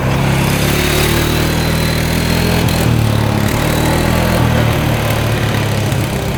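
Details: 2013 Polaris Sportsman 550 EFI EPS 4x4, written off by the dealer, after cleanup: deep, even single-cylinder thump at steady speed with no knocks or misses; all gears, reverse, high and low work, slight clutch squeak.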